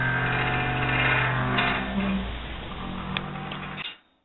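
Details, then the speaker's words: Graveyard gate opening: long, wavering metallic squeal bending in pitch as the gate swings, then stopping dead; squeaking dry, rusty hinge. "right, you have to open the gates, just listen to this! (Loud Squeaking) When you're opening it."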